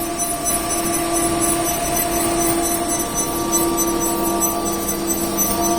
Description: When it starts up, the motor makes a high-pitched noise, but the winding shaft can be turned by hand.